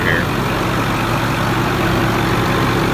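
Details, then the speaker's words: 6.4 diesel dump truck shortly after a cold start, not yet warm: steady, even idle with a low rumble and no knocks or misses; cat boots checked with little blow-by, a normal cold idle. "first thing i always look is cat boots to look for blow by not too bad sounds good it's not warm yet"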